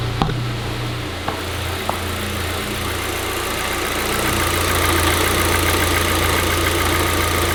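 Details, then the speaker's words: VW Golf GTI (had an engine warning light, fuel filter just replaced and primed) still idling lumpy; steady airy hiss heard from below, owner suspects intake; vacuum leak from a snapped vacuum pipe. "Oh my god, I can literally hear air. Is it the intake? Listen, you can see how lumpy it's running. I can hear air escaping."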